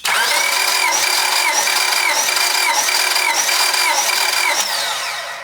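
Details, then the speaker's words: Honda Civic D16 with a misfire persisting after a timing belt fix (bent valves suspected), during a compression test: steady, even cranking with a high starter whirr. "Cylinder 2 at 180. Cylinder 3 looking to be about 190. And cylinder 4 looking to be about 195."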